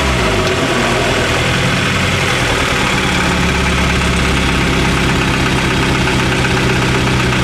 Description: My nova turbo has a misfire. ITS FOOKED!!!!